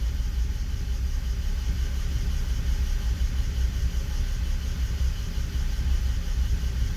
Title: 325i e92 bmw misfiring cold start on inpa